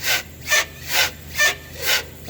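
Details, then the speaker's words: Renault Kangoo 3 1.5 dCi: rocking the body gives a dry rubbing creak about twice a second under flex; source unconfirmed, middle bushings being checked. "esnemeler de öyle bir ses yapıyor ki duymayan kalmıyor arkadaşlar"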